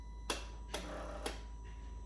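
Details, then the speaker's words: Mercedes CLK 55 AMG with limp mode, after a part replacement (owner suspected the accelerator/throttle position sensor): key on, engine off, fuel pump runs, then three soft clicks half a second apart as the electronic throttle relearns normally. "what you should hear is the fuel pump which is going you should hear in about two minutes this thing re-learn the throttle so let's see if i can hold you guys here do that should be a couple of clicks"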